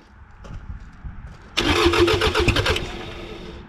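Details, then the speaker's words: 1984 Mazda B2200 with 2.2L Perkins diesel, sitting unrun since 1998, fuel system losing prime and pumped up by hand: about 1.5 seconds of steady cranking, then it catches and settles into an even clattering diesel idle, with a little exhaust smoke. "sitting since 1998 that didn't sound good sounds good it's got a little bit of exhaust"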